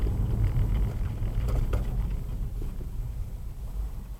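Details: 2016 Subaru WRX Premium driven over a rough road; low dull thuds and knocks in bursts under the tire rumble, a front suspension clunk; cause unknown.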